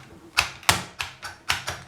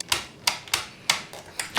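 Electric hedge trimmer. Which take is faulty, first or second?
second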